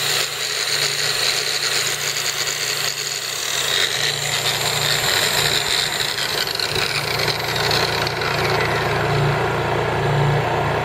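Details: Honda EU3000is inverter generator (new) running in eco mode with no load; steady, even constant hum with no knocks or surges, very quiet normal running.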